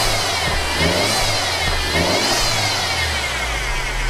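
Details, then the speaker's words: Mercedes engine running and revved: high piercing whine from the top end rising and falling with revs, louder when warm; gone with serpentine belt off, traced to failing idler pulley bearing. "you're going to hear it it will sound like really annoying your sounding coming from the top end here guys it almost sounds like a something is bad inside the engine"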